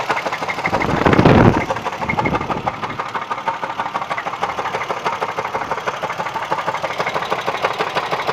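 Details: Engine idling after start-up with a rapid, somewhat uneven tapping of about three per second: a knock from inside the engine, cause not yet known.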